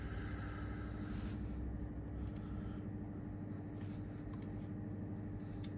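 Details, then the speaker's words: 2024 Honda Accord Sport L Hybrid, parked with the engine running to charge the battery: quiet, steady low hum, smooth idle with no knocks or misses; normal idle while charging. "But see, like right now the engine's running and it's charging the battery."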